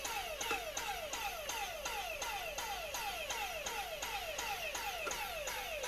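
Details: Dyson cordless vacuum with good 18650 battery pack on bench supply, drawing about 200 mA: regular surging about three times a second, each pulse a falling whine, never reaching full speed; motor pulsing, controller or motor unit suspected faulty.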